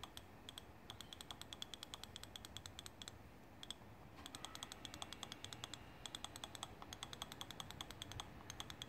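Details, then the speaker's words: BMW S54 dual VANOS valve body, solenoids cleaned with brake cleaner after being silent: sharp, crisp ticks in quick regular bursts; solenoid valve now clicking normally. "same thing good clicking now this one a second ago was making zero noise when I first started like I said none of these were clicking"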